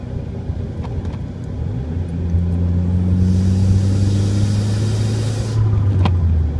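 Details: Humming/whining harmonic noise from a Dodge SRT-4 Neon whenever the steering wheel is turned any amount off center while driving; low steady drone over road noise, owner suspects a bad wheel bearing, unconfirmed.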